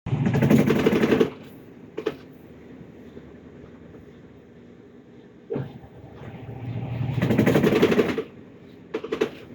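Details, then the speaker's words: Midea top-load washing machine on spin: heavy clunking surges that come and go, quiet between; worn basket base lets the drum bang, fixed by replacing the base. "Quem pegar a máquina ideia aí desse modelo aí que esteja acontecendo isso, esse barulho aí, ó. Só fazer a troca dessa base aqui, ó."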